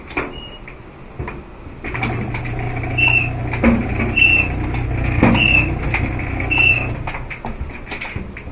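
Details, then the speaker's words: Frigidaire laundry centre dryer running with a steady low hum and a loud high squeal repeating as the drum turns. "this is for the dryer that's just making a terrible squealing noise"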